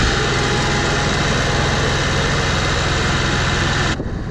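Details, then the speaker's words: Onan 5500 motorhome generator after carburetor cleaning and a Seafoam soak, tested under full load with the air conditioning on full. RPM dips briefly, then it holds a steady, smooth drone with no hunting or surging. It previously idled rough and backfired. "Lindsay kicked on the air conditioning, and you could hear it kind of, the RPMs kind of drop for just a second on the generator, but now it's running so smooth."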